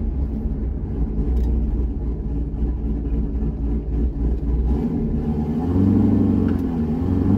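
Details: C6 Corvette after aggressive camshaft and long-tube header install, running on a revised HP Tuners idle tune at part throttle on a test drive: even, steady low rumble rising smoothly under light throttle, no stumbles or misses; decent street manners, idle tuning about 80% done.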